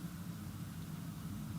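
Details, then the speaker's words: 2018 VW Transporter T6 factory Webasto ThermoTop Evo parking heater, remote-started after Telestart upgrade: spools up to a steady low jet-like roar with even rushing tone, no knocks or rattles; running normally. "does sound like a jet engine so this is perfect for cold mornings if your vans covered in ice if you don't have a front heated windshield etc"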